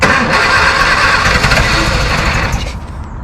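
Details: 1958 MGA coupe barn find, stored thirty years with previously seized engine, after distributor refitted to correct #1 position: cranks and catches into a strong, uneven firing roar for about two and a half seconds before dropping away; it starts.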